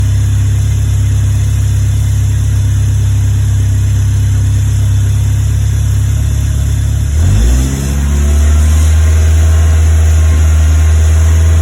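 A deep, lumpy fast idle with an uneven beat, then the revs dip and settle; a misfire of unknown cause.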